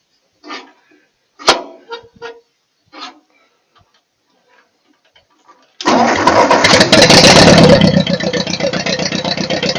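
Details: Ford 8N tractor after sitting for years, rewired, fuel on, in neutral: a few quiet clicks, then it fires at once and settles into an even, steady run; a clean start.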